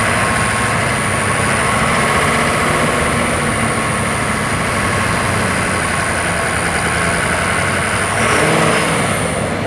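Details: Ford F250 with cylinder 5 imbalance code at high idle, hot, no smoke: rough, fluttering buzz over the engine from a cracked intake valve; back pressure felt pulsing through the intake pipe.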